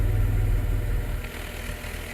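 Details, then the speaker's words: 1991 Dodge Grand Caravan SE, revived after sitting since 2003, with newly installed muffler exhaust kit: deep, smooth low rumble with a gentle rev and settle, no rasp or blowing leak; quiet, healthy idle. "Yeah. Awesome. You can't even hear it running. It's quiet as can be."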